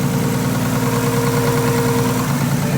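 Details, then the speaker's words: Nissan R33 Skyline after fuel filter, oil change, new gapped plugs, checked wires, BOV delete and vacuum leaks fixed: steady, even idle with smooth low rumble, no missing or lumpy cam-like lope; belt possibly slightly too tight. "Doesn't sound missing. Doesn't sound like it's cammed anymore. Does it?"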